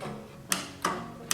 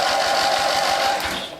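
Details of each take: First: Old scrapyard Dynamark riding tractor with opposed-twin engine, not seized, newly fitted battery: three sharp single clicks from the starter solenoid with no cranking; battery cable supplies power to the solenoid. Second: Old Dynamark riding lawn tractor recovered from a scrapyard, just after the starter was reinstalled: fast, even cranking with steady compression pulses for over a second; starter turns the engine over normally, spark check next.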